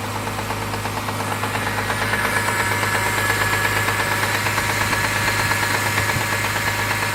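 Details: Mitsubishi 6G72 V6 cold start: steady light ticking about three per second at idle, lasting 1–2 minutes then going away; owner suspects hydraulic lifters, not confirmed.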